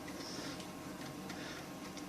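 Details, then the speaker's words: New Old Stock Amiga 1200, unused 17 years, first power-up: delay, then soft irregular ticking every half second over faint hum as the floppy head seeks; clicking normally, no grinding. "it's taking a while before it starts to seek as you wants a hard drive and there's the seek looking for it it's clicking as it should"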